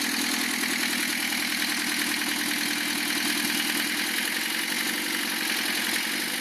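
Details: Lancia Thema 2.5 TD diesel after overhaul, idling: sharp, regular metallic knock over the diesel clatter, loudest up top; cutting injectors 2 and 3 reduces it only slightly; timing marks correct, oil pressure 2 cold, 1.5 warm; piston suspected, possibly valve contact.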